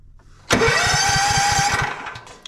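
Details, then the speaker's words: Toro TimeCutter zero-turn (model 75740), Toro-branded Loncin engine: starter whirs with steady compression pulses but never fires despite good spark; no-start because the choke linkage pops out of its groove so the choke never closes. "that's why this unit will not start is because it's actually not choking and it was the same with the other one over there"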